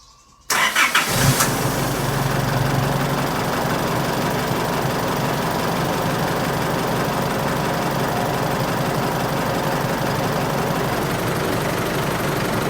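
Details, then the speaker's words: Isuzu All New D-Max 2.5 VGS diesel after replacing a faulty SCV valve: cranks, catches quickly and settles into a smooth, even idle with no knocks; much quieter than before, the SCV solenoid noise much reduced. "หลังจากที่ผมได้ทำการเปลี่ยนSCวาล์วตัวใหม่เข้าไปนะครับจะเห็นได้ว่าเสียงเครื่องนั้นเงียบลงกว่าเดิมมากๆนะครับ"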